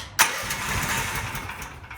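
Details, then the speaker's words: Relatively new Predator 420 small engine after setting valve lash to .004 in: semi-cold pull-start cranks through slowing compression strokes without firing, no backfire or pop, before the choke is pulled. "but you notice that one, no backfire, so let's hope it still doesn't."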